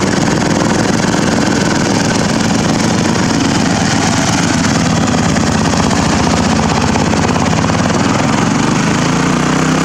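Small single-cylinder engine chugs along steadily but with an uneven, lumpy beat at idle; it runs, but roughly, cause not pinned down.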